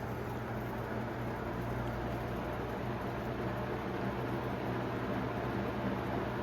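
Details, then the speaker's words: 1991 Robeson 20-inch box fan on medium speed, drawing about 1.05: steady fan rush with a low buzzing hum from riveted guard and motor brace worked loose and vibrating, plus a slight blade imbalance. "You can start to hear that vibration noise as I mentioned earlier due to the riveted together guard or motor brace and such."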